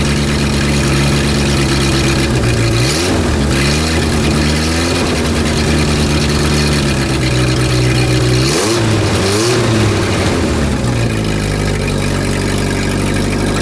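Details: Renault R10 after 20+ years sitting: steady even idle with two clean rev-ups, no misfire or knock; no blue exhaust smoke, running healthily.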